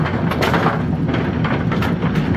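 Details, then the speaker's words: Brunswick A2 bowling pinsetter, single-phase motor after an obstruction was cleared: steady mechanical churning with an even loose clatter, no grinding or squeal, whisper quiet and not running hot, though it looks slightly slow; normal run. "this thing's whisper [Music] quiet she not running hot she's not uh well this is a singlephase motor so it appears to be in good [Music] shape"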